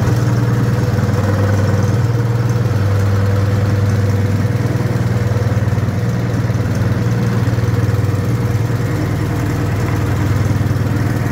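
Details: Wisconsin THD air-cooled twin, fitted with a flush-mounted head said to make it quieter than cast iron or aluminum heads: deep, steady, even thrum at idle, no knocks or misses; healthy.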